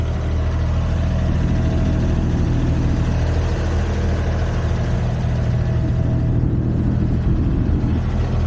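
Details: Used Komatsu PC10-3 mini excavator (hydraulic controls, thumb), hood down, running at low idle, just enough to keep the battery charged: low, steady diesel thrum with even beat, no knocks or rattles; normal idle.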